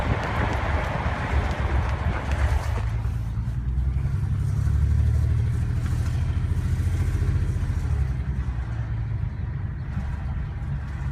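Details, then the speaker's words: BMW 335i after morning cold start and warm-up: lumpy, uneven running with irregular low thumping, suspected misfire; plugs changed 2.5 months ago, owner suspects coil pack or injector; normal after restart. "Listen to the sound. Sounds for sure like a misfire."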